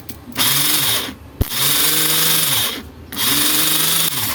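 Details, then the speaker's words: Motorcycle starter motor after opening and greasing to cure a loud harsh noise: three short spin-ups with a clean, even high whir and no grinding; the earlier noise is gone, normal starter operation. "इसकी जो आवाज था friend पहले वाला बिल्कुल ही बंद हो चुका है फ्रेंड"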